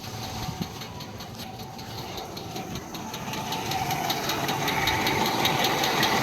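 Steady idle with a sharp, regular tapping about two and a half times a second riding over the engine; a knock, cause unknown.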